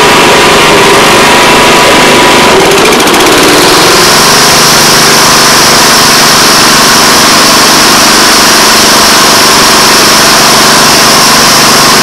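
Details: Old Honda Harmony 215 SX mower that sat outside for years, after carb cleaning: loud, steady, fast-firing single-cylinder run holding an even beat once settled; running normally.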